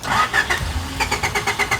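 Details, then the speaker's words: Third-gen Honda Prelude with newly installed fuel pump kill switch engaged: no pump prime on key-on, rhythmic starter chugging about six beats a second that never catches after leftover line fuel is used; crank no-start from fuel pump cut. "So if I turn the key, I do not hear the pump come on. Dude, what? Okay. It's probably just using what fuel is left. And now it like just won't start."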